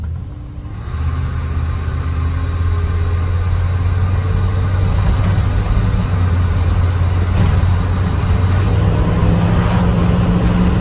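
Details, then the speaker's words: GMC 3500 truck, recently returned to running and smoking some burnt oil, gives a deep, heavy roar from the intake that swells under full throttle, louder than stock; an earlier disconnected-hose hiss was fixed, and the roar's cause is unknown. "whenever you floor it you hear this loud roaring sound i mean it sounds like the engine has no muffler on it except it's coming from the intake"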